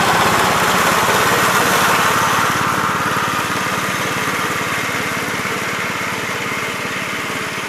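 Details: 1969 Gravely C8 single-cylinder walk-behind tractor, test run next morning after repairing no-high-range fault and reassembly: fast steady even beat, about three and a half pulses a second, no misses; normal running.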